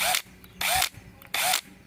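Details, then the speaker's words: Makita HP333D cordless drill/driver: three short trigger bursts with harsh, rough whir and reported jamming; housing was cracked and open, apparently from a drop, fixed by replacing the housing. "tá o Cliente alegou que ela tá fazendo a zuada aqui ó ó"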